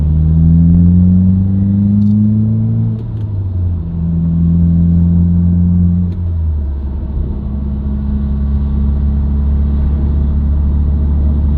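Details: Subaru WRX, recorded inside the cabin while driving: deep steady droning hum that rises with road speed and holds through shifts, clutch in and out of gear, not rev-dependent. Dealer-diagnosed broken centre-diff viscous coupler.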